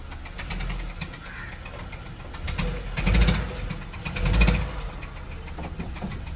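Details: Honda Civic engine at low idle with a loose knocking that grows louder in two short throttle blips; knocking from inside the engine, cause unknown.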